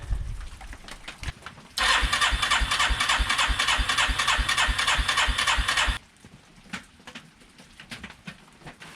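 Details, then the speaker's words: 1989 Yamaha Moto4 350 single-cylinder ATV with brand-new carburetor, choke on, fuel flowing and drawn into the carb: starter churns evenly at about three compression beats a second for four seconds but never catches; vacuum leak suspected. "so i put the cap on cranked it and it pulled fuel right up into the carb so why won't it fire is there just a great big vacuum leak somewhere that i missed"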